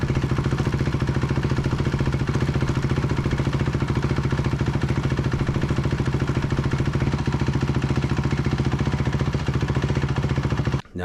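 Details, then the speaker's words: 2004 Honda CRF250R with a damaged head, which was hard to start before: after repair it holds a steady, even single-cylinder fast idle with no knocks or misses; runs well pending a test ride; normal running. "we got this engine running pretty good pending the test ride"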